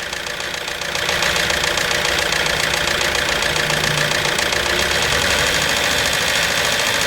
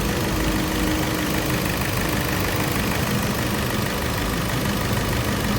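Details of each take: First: Hyundai Santa Fe petrol, very thick engine oil not reaching the top of the engine, revved; loud metallic clatter rising with revs, heavy in treble, another mechanic blamed pistons — timing chain noise, worn timing chain and gears. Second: Hyundai Santa Fe petrol after timing chain work with crank and cam timing marks aligned, engine noise complaint; steady even idle hum with no knocking or chain rattle: normal idle after repair.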